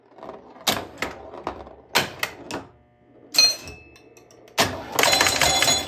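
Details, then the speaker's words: Grand Prix pinball machine after its playfield rebuild: sharp clacks from the playfield mechanisms, then a sudden, sustained loud rattling buzz that does not stop; source unknown. "Got a loud noise there. Let's see if that noise goes away."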